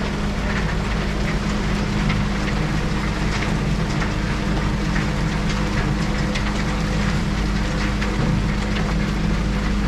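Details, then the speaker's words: Van Dale silo unloader running after setup, warm season so no wall freeze-up: steady low drone, constant hum, light patter of falling feed, no knocks or grinding; running normally, feed a little slow, surface not yet leveled, weights need adjusting. "well there we got it working feed coming down it's coming a little slow right now but it's still not perfectly leveled off yet"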